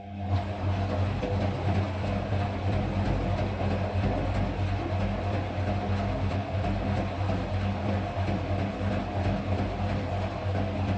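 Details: Deep rumble during spin with a loose, uneven thump about three times a second as an automatic front-load washing machine drum shakes and knocks.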